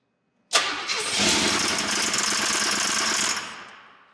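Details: 1988 Camaro IROC-Z with tuned port injection, first start after 27 years stored: about three seconds of loud, rough, clanky cranking that never catches; owner suspects rod knock.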